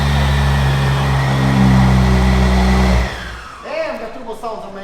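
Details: Wrecked 2016 BMW M235i being rebuilt: even, steady engine note for about three seconds with no ticking or knocking, then a clean shutoff; motor runs good.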